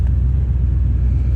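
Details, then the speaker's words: Corvette convertible with a 5.7 L 350 V8 (245 hp), low coolant, oil pressure 64–65, after one blip of the gas pedal: deep, lumpy V8 rumble at idle with an even firing beat, no ticking or knocking. Normal idle. "She sounds damn good."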